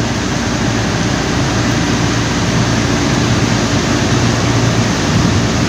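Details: Air compressor loud at first start with a steady roar, rough low hum and hiss that fades after a while.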